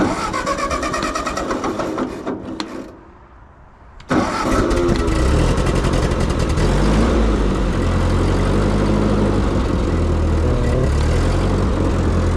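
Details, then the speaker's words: Carbureted tractor in neutral on a cold start, choke pulled after cranking: it cranks, dies briefly, then catches into a lumpy, uneven idle that steadies somewhat while the hydraulics lift. It needs a long warm-up; owner suspects the carburetor is not getting enough fuel. "This thing really likes its warm-up. I think it's probably because of that carburetor. It's probably not getting enough fuel, but we'll give it a little choke here."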